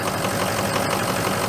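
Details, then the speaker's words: Ford 6.0 Powerstroke diesel idling just after a cold start at about 50°F, before an oil change and Turbo Maxx additive: light, uneven knock from injector stiction, worse at colder temperatures. "I imagine if it was 20 degrees out, it'd rock and roll. it did the other morning."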